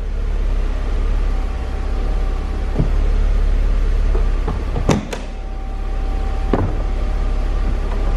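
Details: Steady low motor drone with clunks as the power roll bar and convertible top of a 1996 Mercedes-Benz SL320 with straight six move and latch, working smoothly and normally.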